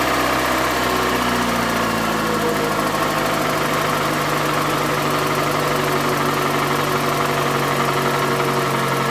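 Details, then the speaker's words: Toyota Camry with a 2AZ 2.4L engine at 220,657 km, smoking from under the valve cover: rough, loud idle with a harsh, busy clatter over a steady drone; a bottom-end knock is suspected but the cause is unconfirmed. "сейчас я поставлю камеру на подставочку чтобы вы смогли звук слышать работающего мотора и как он орёт он просто рвет это просто ужас"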